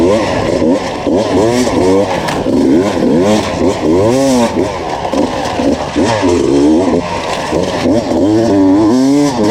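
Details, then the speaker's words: 2019 Beta enduro test bike on a Finnish enduro track, screaming high with pitch swooping under load and no matching drive. It failed to climb a hill and struggled through two laps; the clutch was slipping. "As you can hear from the footage, the bike screams all the time. I struggled to get 2 laps done with the bike, and it almost like stalled on that, or not stalled, but didn't climb the hill. Yeah, that's clutch slips in this test model."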